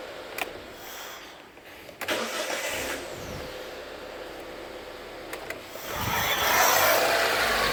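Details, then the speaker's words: Mitsubishi idle air control valve test at key-on: short whirring buzz from the valve, then engine starts and settles; valve shows full travel, normal operation. "what you want to hear so you can hear it's got full travel you don't have to check resistance and all that okay"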